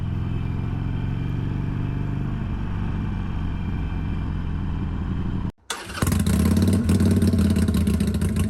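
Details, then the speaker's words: 2022 Harley-Davidson Iron 883, about 1,600 miles, stock mufflers refitted in place of Rinehart slip-ons: soft, even V-twin lope at idle, brief cutout, then clean revs with muffled, quiet "sewing machine" note; healthy engine. "since I'm trading this in I went ahead and put the stock exhaust back on so this is what it sounds like with that sewing machine of a stock exhaust"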